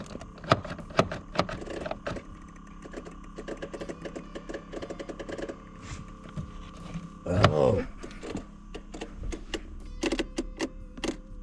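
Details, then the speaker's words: Nissan Y32 Gloria: the brake pedal goes to the floor with no resistance and returns slowly. Sharp irregular clicks in a quiet cabin from the brake mechanism; cause not confirmed. "now there's clicking going on here."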